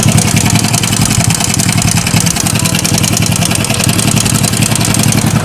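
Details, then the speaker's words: SYM Bonus scooter after spark plug fix and reassembly: loud rough idle with gritty stone-grinding rasp inside; attributed to a worn roller guide, not replaced due to owner's budget. "So, pag pinaandar to, may gilingan ng bato sa loob."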